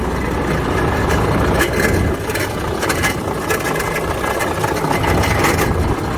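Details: Volvo FH13 truck diesel idling with irregular knocks and a grinding rasp at the front, caused by a worn, broken fan hub bearing.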